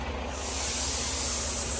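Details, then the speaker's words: Semi truck trailer air brake line at pre-trip inspection: loud, steady hiss of escaping air that swells then holds, from a fitting that wasn't tight; noise stops after it is tapped tight. "এই দেখেন এটা কি leak করতেছে, শব্দ শুনতেছেন? ফাটাফাটি leak হইতেছে, এটারে এখন ফিক্স করতে হবে।"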